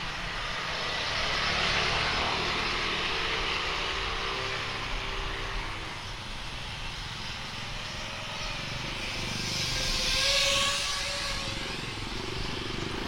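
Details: Speedybee Mario 5 DC FPV drone with Axisflying 2207.5 1960KV motors, T-Motor 5146 three-blade props and DJI O3, test flight after repair of stuttering motors: smooth motor whine rising and falling with throttle, no stutter or dropouts, normal.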